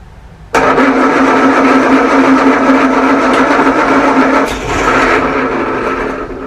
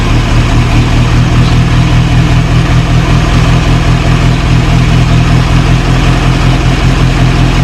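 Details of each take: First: 1937 Morris 8, 918cc pre-war engine being recommissioned, carburettor resealed, battery charged: starter churns unevenly but engine never fires; owner thinks diesel put down the bores oiled up the plugs; cranking no start. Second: 1937 Morris 8, 918cc pre-war engine, just started on choke during recommissioning: loud, deep, even chuffing idle about two and a half beats a second, no knocks or misses; oil pressure about 60-75 psi, running healthy.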